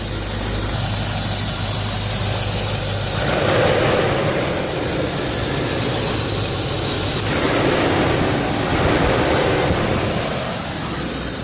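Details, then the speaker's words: 1997 Land Rover that was overheating in traffic, after fitting a new clutch fan, engine running: steady heavy whoosh of air, strong enough to blow dust; fan clutch locked up and pulling normally. "okay it's on and what a difference Wow I give it some gas you can hear the air really rushing through there even blow dust in my face"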